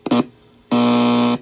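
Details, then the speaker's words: Homebrew signal tracer probing a recapped simple radio receiver at its audio driver stage: a short blip, then a loud steady low buzz, showing the audio driver passes signal normally. "then this is our audio driver, and that's why you hear that loud sound."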